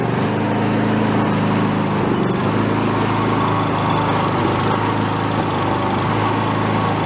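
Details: Toro 1132 snowblower pulled from bulk trash, fuel dribbled in before starting: small single-cylinder engine buzzes at a steady speed with an even beat and no misfires; normal running.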